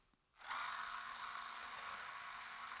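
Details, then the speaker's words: Gear motor overdriven to over 4,000 RPM spinning shaft with a Barrel Hub; quick spin-up to a high, even whir without wobble or pulsing, much smoother than with the standard clamping hub. "as you can see it is much much smoother with the Barrel Hub"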